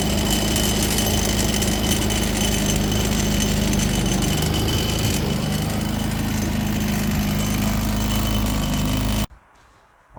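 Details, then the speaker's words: Predator 3500W generator running before the fix, with the wheel lock engaged; a constant metallic rattle and ringing over the engine hum comes from the wheel locking pin and plate mechanism. "when you flip it up it locks the wheel but even even when the wheels lock it makes a racket it rattles the entire time generators running"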